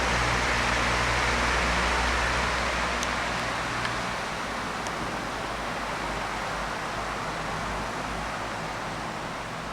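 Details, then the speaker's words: SMC SF-16 16-inch oscillating stand fan, the left of two running side by side: strong, even rush of air with no rattle, ticking or wobble; moving far more air than the other, as it should. "On the left it's whipping around. That one is moving so much more air."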